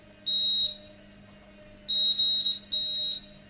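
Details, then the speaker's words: Electronic buzzer wired directly to the power supply's positive and negative terminals: three clean, shrill high-pitched beeps, each steady and about half a second long. The buzzer works normally. "as you can see it sounds correctly we're now going to connect the buzzer so that it buzzes when the button is pressed you can now hear that the buzzer is buzzing correctly"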